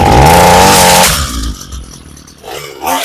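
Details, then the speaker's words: Homelite 26cc UT26CSEMC two-stroke string trimmer, fresh fuel, primed with fuel into the intake after many pulls: short buzzy burst that won't rev, runs poorly, smokes, sputters and fades; dirty carburetor suspected, needs cleaning/rebuild. "All right, it started and ran there, but you could see it with a little bit of fuel in there to get it primed, but you could hear it running really poorly and smoking a lot. Couldn't get it to rev up."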